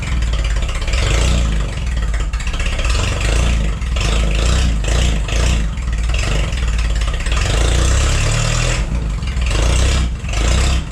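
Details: Forklift engine after replacing the bad spark plug: steady, even note with no skip or stumble in the rhythm; misfire fixed, runs smoothly.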